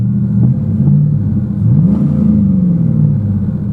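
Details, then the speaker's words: 2001 GMC Sierra started cold after two weeks sitting: deep smooth idle with clean rev rise and fall, no knocks or misses; running well. "so I did clean out the interior you could hear this thing's running awesome a little bit of revs"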